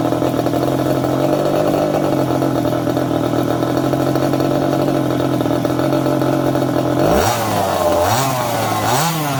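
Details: Second-hand 1/5-scale RC Baja with a small two-stroke engine: steady buzzy idle, then it picks up cleanly on several quick throttle blips, normal running and revving.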